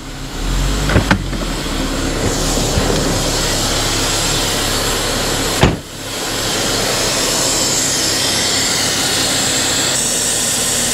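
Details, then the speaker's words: 2010 Infiniti G37S, rough idle with P0171, P0174, P0300 after throttle body cleaning: uneven, stumbling idle nearly dying, with a loud constant hiss near the back of the engine from a vacuum hose broken off. "yeah it's definitely hissing you can hear that there's a leak or something a vacuum leak of some sort it sounds like it's coming from over here near the back"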